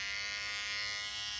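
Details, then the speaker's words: Andis cordless T-outliner trimmer, as it sounded for its first month or so: a steady, even high buzz, smooth and not loud, no rattle. Normal running. "this is how it sounded four months you get for about a month that's how it sounded it was perfect it was a home it was a lot it wasn't as loud as the the bevel trim"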